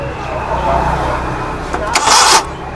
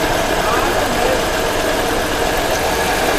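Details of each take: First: Suzuki Mehran Euro 2 petrol engine idling lumpily, misfiring on one cylinder because the number one injector gets no pulse signal from the computer; fix of the misfire and pulse issue. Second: Suzuki Mehran Euro 2 petrol, after fixing misfire from fuel injector pulse problem: steady, even idle hum with no stumbles.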